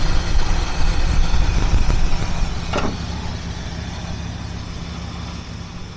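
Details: 1976 Mercury Marquis, revived after a no-spark no-start fault; stalled earlier at too-low idle: steady, even low rumble with no stumbling or dying out; smooth, settled idle.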